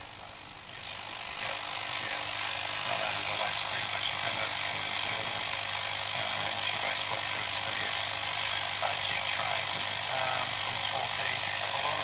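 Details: Vintage radio L401E brought up slowly on a variac to 220 V: harsh, crackly, rasping distorted output with hum, slightly cleaner than before; needs earthing, 6AR7 valve suspected and about to be replaced, not confirmed.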